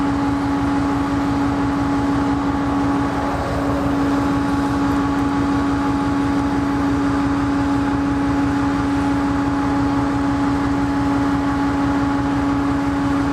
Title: Sidelined KCS ES44AC #4815 with a rough idle - BNSF at Wenatchee, Washington